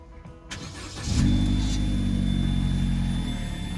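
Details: Opel Corsa D 1.4 petrol after a no-start fixed by fitting a used fuel pump module, pump heard priming: short crank, then the engine catches and settles into a steady, even idle with no misses; a normal start.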